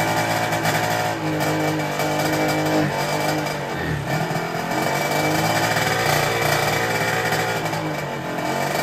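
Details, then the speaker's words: Derbi 50cc two-stroke after fitting a 24 mm Polini carburettor and sealing an exhaust leak: the engine revs cleanly with the throttle, with far less rattly, tinny clatter, running much better. "maintenant que j'ai changé le carbu et qu'on a résolu la fuite à l'échappement on entend que la moto tourne beaucoup mieux elle fait beaucoup moins un bruit de casserole"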